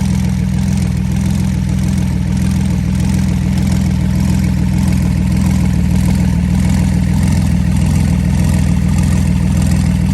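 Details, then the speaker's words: Flood-damaged Porsche 911 Turbo after water purged from fuel, running base map, intercoolers and air hoses disconnected, Marvel Mystery Oil/0W40 mix, not yet warm, equal smoke from each pipe. Deep steady even idle, no misses or knocks; normal idle. "but it's gonna run off a base map it sounds good if you ask me we got equal smoke coming out of each pipe"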